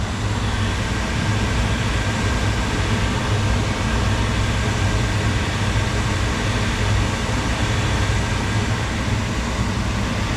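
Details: Medical waste incinerator from an airport, idle for months and newly wired for 220 volts, first firing: steady even low roar with deep rumble underneath, no pulsing or sputter; burner lit and firing cleanly.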